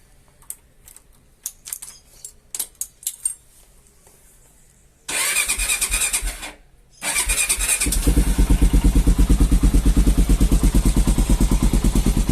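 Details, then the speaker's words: Falcon motorcycle, cold engine on a morning start: single cylinder catches and settles into a steady, even tapping about three beats a second; mechanic says it is the compression valve, normal. Normal cold-start valve clatter. "levei no mecânico e o mecânico me falou que aquilo era normal Aquilo é a válvula de compressão que tem na no mot"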